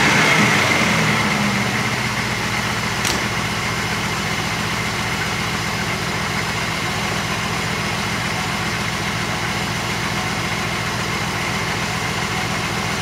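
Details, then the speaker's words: Porsche 928 V8 fully warmed up after CIS mixture retune to fix 1500-1800 rpm high idle: smooth, even idle around 800 rpm, steady low hum, no misses or hunting; normal idle. "right I think we're pretty much there that's the car completely warmed up um I've set the mixture as best I can at tick over taking over 800 RPM"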